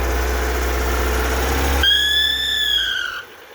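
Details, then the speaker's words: Fiat Uno with Fire engine: rough roar then a clear steady high whistle when revving, fading as revs drop; persists after replacing timing belt, tensioner and water pump and removing alternator belt and covers; cause unknown. "Estou aqui com esse Uno motor Fire e ele dá esse barulho quando a gente acelera"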